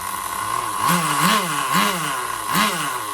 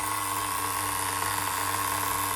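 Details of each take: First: Duratrax Overdrive ST nitro engine, modified with a different piston and sleeve and a Tamiya carburetor; revs in quick rising surges, sharp and screaming near the top: a slightly lean top-end mixture, attributed to the bigger engine. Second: Duratrax Overdrive ST nitro with a Velocity .17 engine (cut crankshaft, different piston and sleeve, Tamiya carburetor): steady, even high-pitched buzzing idle without hunting. Normal clean idle, though slightly lean on top.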